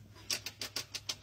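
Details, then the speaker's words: 2011 Hyundai Sonata that lost power and stalled while driving and then smoked from the starter area; light ticking five or six times a second while the engine is rolled over. The noise comes from the starter, whose ground terminal is burnt. "oh definitely coming from the starter but you can see the Ground Terminal on the starter it's kind of fried yep you can definitely see where it got hot"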